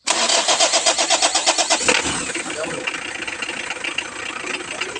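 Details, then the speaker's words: Mitsubishi Adventure with a no-start complaint, after its old battery was replaced: about a dozen quick, even cranking pulses, then it catches within two seconds and settles into a smooth idle; the battery was the fault. "So nag-start naman siya mga idol. So baterya lang ang problema mga idol kaya hindi maka-start."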